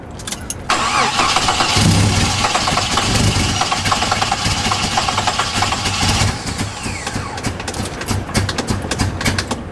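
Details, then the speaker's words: Jeep after a part was turned slightly: the starter cranks briefly, then the engine catches and runs rough and uneven for a few seconds before dying. It is hard to start. "I think it needs to be turned just a little bit more. Again. It's alive! But it's running kind of shitty."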